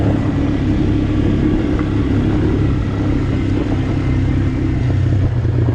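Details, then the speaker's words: Abandoned Honda Recon ATV on a test run after the frozen rear brakes were fixed and the oil changed: steady, even low single-cylinder drone with no knocks or misses, running smooth and healthy. "i've taken it out for a test run ran it around a little bit it's running great actually kind of surprised how good it runs"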